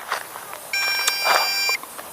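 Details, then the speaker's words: MJX Bugs B2W brushless GPS quadcopter in flight: after much beeping, a steady high beep held about a second, longer than earlier chirps, signalling critical low battery, land immediately. "I engage images beeping a lot okay you have a longer beep now so we say oh it's time to land immediately so"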